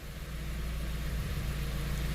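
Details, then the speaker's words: Dodge Caliber with codes P0301 and P0300, after clearing codes, scan tool live data: low steady idle with uneven, lumpy beat; misfire at idle on cylinders 1 and 4. "Misfire 1 and 4. It's stuck. Maybe you just need to go for a drive."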